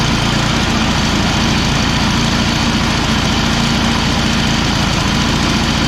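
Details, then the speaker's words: Free Craigslist Yard Machines/MTD snow blower, small single-cylinder engine, after recoil cord restring, primed and pull-started: fast, steady idle with an even beat and no knocks or misses; recoil works, engine running normally. "the recoil works it started it up everything's good on this end"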